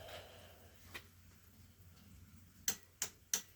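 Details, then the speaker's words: 1983 Honda 200E three-wheeler being revived, key on with carb sprayed: sharp, dry solenoid clicks about three a second on pressing the start button with no cranking, just before it briefly ran. "Alright, solenoid's clicking again."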